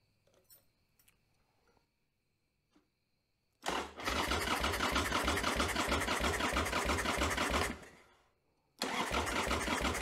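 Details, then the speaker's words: 1995 Harley-Davidson Sportster Evo engine after top-end rebuild, first start attempt, battery unused 7–8 months on charger, carburetor bowl possibly empty: two slow even cranking bursts about three beats a second, never fires; slow cranking, no start. "so I kind of tried to turn it over a little bit but like I was saying it doesn't have any fuel in the co rator so it may take a minute for it to start up"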